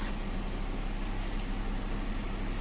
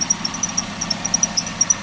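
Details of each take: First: Car at idle during a periodic service check, after switching the AC off: steady even idle hum with the earlier AC compressor pulley ticking gone; engine running cleanly. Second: Car at idle during a periodic service check with the AC switched on: sharp light ticks about six to seven a second over a quiet idle; ticking stops when the AC is turned off, so it comes from the AC compressor pulley.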